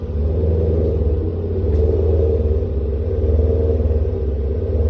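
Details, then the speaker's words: 1999 Maserati 3200 GT V8 after repair: deep, smooth burble at a steady, even beat with no knocks, ticks or misses; engine running healthy. "That does not get boring."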